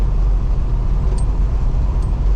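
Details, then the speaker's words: 1970 GTO with LS swap after setting pinion angle with adjustable control arms, driving at almost 70 mph: steady, even road rumble with no shudder, where it used to vibrate badly above 60 and on lift-off; temperature holding fine. "Yeah, I mean, we're doing almost 70 now. I mean, before you could run anything over 60 and it would vibrate really bad. And then when you let off, like it really vibrated. All of that is gone, so, and my temp seems to be doing good."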